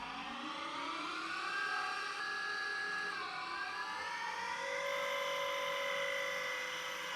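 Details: Schaublin 125-CNC lathe on a LinuxCNC retrofit, with software control of the VFD, CVT and backgear: the machining whine drops, pauses, then climbs mid-cut as constant-surface-speed control freezes the ratio calculation, so the spindle speed is hunting.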